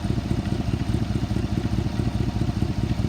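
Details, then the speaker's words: 2019 Chevy Tahoe PPV ex-police, 24,000 miles, collision-damaged, jump-started: V8 idles smooth with a loud rough puffing chuff, while also leaking radiator fluid; suspected large exhaust leak. "It sounds like it has an exhaust leak, a pretty big exhaust leak."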